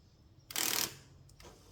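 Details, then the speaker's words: Cadillac DeVille (Gigapony build) driver door power window motor, powered at the door: short harsh ratcheting grind when the switch is pressed, then a faint second catch; stripped motor gear, fixed by a new motor. "ah look ah there's our problem it's the motor okay so driver door issues solved by a new motor"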